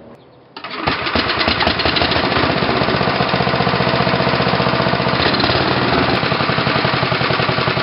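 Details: Tecumseh HH120 single-cylinder engine fitted with GM LS2 ignition coil and modified GM crankshaft sensor, final test run after installation: fires after a second and settles into a steady, even, fast beat with no misses; runs healthy.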